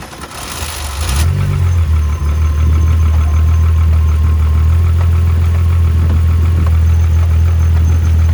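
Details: VW Mk3 VR6 first start after a clutch, timing chain and O2J shifter swap, battery charged overnight: a short crank, then it catches and settles into a steady, even idle with a smooth low hum and no knocks.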